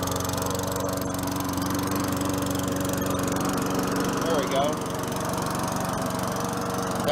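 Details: Free 4.5 HP Tecumseh engine on a mower that sat about 3 years, after carburetor work: small single-cylinder pops along at a quick, even beat with a steady drone, no misses or surging; runs well.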